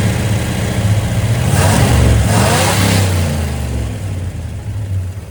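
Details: 1972 GMC C10 V8 pickup, sat unused for years, running with fuel pump fed from a can of gas: steady even idle swinging up into two clean revs and settling, no knocks or misses; ran pretty good though very smoky.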